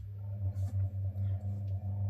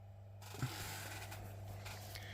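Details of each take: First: Capehart radiogram motor run at 110 volts via lamp limiter, sitting directly on the bench: steady low hum with pulsing growl and whir; its rubber support mounts have crumbled, new supports to be made. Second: Capehart radiogram turntable motor under restoration, spindle spinning on a temporary mains hookup: quiet steady low hum with a smooth even whirr and one light click; the motor spins freely and runs healthy.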